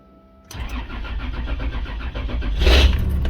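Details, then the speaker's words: 90 Series Toyota Prado after fitting a DIY 155 L long-range main tank (214 L total with sub tank), test start: short crank, catches quickly and settles into a steady even idle; normal start. "there we go so let's fire it up on sub no is that on Main oh my God that's running"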